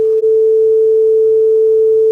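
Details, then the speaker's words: Akai HX-R44 auto-reverse cassette deck during full service, after speed calibration from 447 Hz down to 440 Hz; clean, steady 440 tone with a tiny dropout at start; correct tape speed. "That sounds about right. 440. I think I'm right on."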